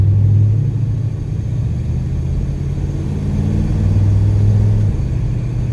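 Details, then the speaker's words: 1986 Oldsmobile Cutlass on a road test after a transmission replacement; the old automatic wouldn't leave second and shifted 1–2 near 50 mph. Engine drone rises then drops in a clean shift to second at 30 mph, third at 45: shifting normally. "second at 30 that's good news hit third come on hit third third third at 45 it's working"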